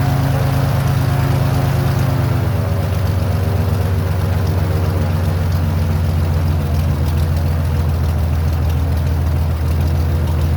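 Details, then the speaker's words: Airboat engine after carburetor base gasket fix, deep steady low rumble with even firing and no misses; a little white smoke, owner suspects a little too much oil, right at the top of the mark, plus Marvel Mystery Oil. "So it seems to be smoking a little bit more than I would like. The carburetor mounting or base gasket definitely was the problem with idle before."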